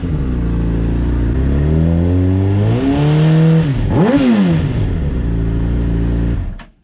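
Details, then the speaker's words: 2007 Honda CBR600RR, rough shape with stretched swing arm: inline four revs up smoothly, drops back cleanly and idles steady before cutting off; motor sounds good, normal revving. "but I mean the motor sounds good, it runs good, and I think we're gonna be able to salvage this thing."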